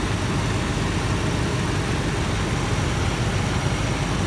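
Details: 1991 Lincoln Town Car, 4.6 L V8, with a failing transmission in first and second gear and probably over 200,000 miles: a deep, steady, even idle rumble with no knocks or misses. Strong, normal idle.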